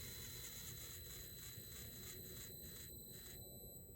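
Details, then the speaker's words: Hobby Plus CR18P (Rock Van/T-Hunter) RC crawler transmission, idling on trim: gear whine with fast pulsing beat slows and stalls as center transmission screw is tightened half a turn plus a quarter; binding stops it, motor heats. Fix: back screw off until smooth. "Stops it right in its tracks. Motor will start getting hot. So it's important."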